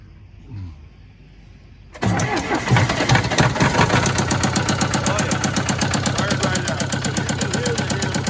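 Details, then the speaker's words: Case 188D tractor diesel, smoking more than it used to, pushrods and valve lash checked and number one injector replaced without change, muffler refitted: cranks and catches, then a steady knock about four per second, seemingly from the upper engine; cause unconfirmed. "i think it's kind of making a bit of a knocking noise and seems to be from higher up in the motor"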